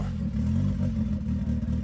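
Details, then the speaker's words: Abandoned turbo Honda Civic idling after vacuum-line changes stopped stalling: uneven, lumpy beat with some clatter; AFR gauge pegged at 10.0, far too rich, likely not enough air from the turbo side. "I went to check the AFR gauge. It read 10.0, the lowest possible value. That means the mixture is way too rich."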